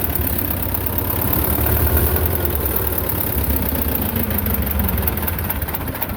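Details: Belarus 250 tractor, two-cylinder air-cooled diesel that sat for years with a no-fuel problem, reassembled with the throttle left set: runs rough and uneven, beats wander and swell. Owner suspects lift pump trouble.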